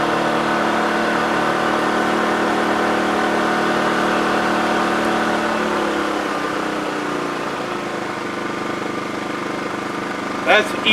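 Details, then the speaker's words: TACKLIFE 1800 W (2250 W surge) inverter generator, new, first start: steady low-revving hum, even tone settling slightly lower, idling smoothly in eco mode; normal. "eco mode. That's if you're just trying to run a couple of DC things. Then it's really quiet."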